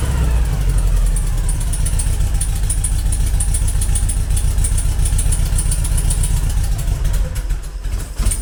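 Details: Idle after modifying the Weber IDF carburettor idle jets to stop them blocking and adding a brake-servo vacuum take-off: a fairly steady low rumble with a few throttle blips and no stumbling; the carbs sound clean and run properly.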